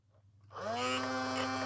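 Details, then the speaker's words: Small motor in a charity-shop sewing machine starts with a rough, uneven, lumpy labouring hum as something jams; suspected stripped belt or broken plastic drive gear, not confirmed. "Uh, yeah, it sounds like it's broken a gear or stripped a gear. It's all going to be plastic."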